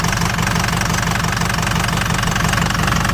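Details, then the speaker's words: Ford Super Duty 6.0 Power Stroke diesel with a tuner and a possible 4-inch exhaust, just started. It idles with a loud, uneven, wavering clatter and puffs smoke; it runs rough and unhappy. "I mean, it don't sound too bad. It really don't sound too bad. Looks like it might have like a 4-inch exhaust on it, but it does not sound too happy."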